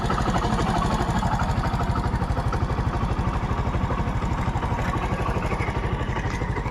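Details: TVS Star City Plus motorcycle offered for sale as in good condition, started to demonstrate engine sound: small single thumps evenly at roughly three beats a second, steady and free of rattles; a healthy idle.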